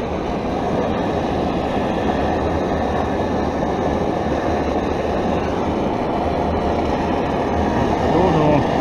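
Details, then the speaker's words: Primus Omnilite stove burner running on Coleman butane/propane mix gives a steady, dull roar with little hiss and no sharp flame edge, sounding smothered or choked. The cause is unclear; the owner wonders whether the part is a Primus Litech. "if you can hear that, but it sounds almost like it's been smothered,"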